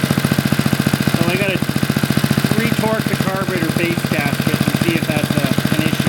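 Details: Roughly 40-year-old Briggs and Stratton single-cylinder on a garden tiller, after a carburetor rebuild and linkage adjustment: fairly steady idle chug under music, firing mostly even with no knock or miss.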